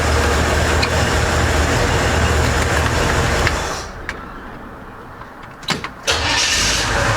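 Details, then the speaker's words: Chevy Impala (stated as '63 and '64), restored but sitting for years, first start after fresh gas and battery, with cherry bomb or turbo mufflers (uncertain): strong steady roar, then it settles to a smoother run; starts quickly and runs healthy. "sounds good too with those i i don't know if those are cherry bombs or turbo muffs but uh they sound they sound real good"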